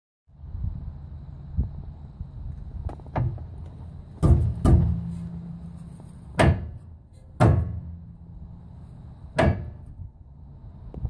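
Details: 1968 Chrysler Imperial: sharp, irregular metallic clunks over a low rumble from lash in a worn steering idler arm.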